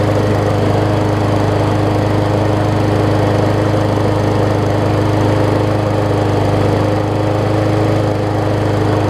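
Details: Murray 20-inch 3.75 hp mulching push mower, long dormant with a stuck-open intake valve that was freed, after an oil change with Seafoam, new air filter, primer bulb and pull rope, and the governor vane freed: steady even drone, no surging or misses, much better rpm.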